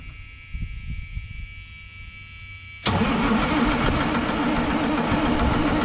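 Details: White GMC diesel truck: steady buzzer drone, then heavy even cranking that never fires. Crank, no start, with the shutdown buzzer sounding from an unknown source. Owner suspects lost prime; filters were later primed.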